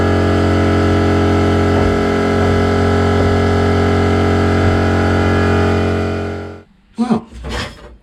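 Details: Cheap blaster cabinet during first test blast with vacuum extractor on, compressor may cut in: steady loud whirring drone at constant pitch for six seconds, then cuts out; blaster and extractor running normally.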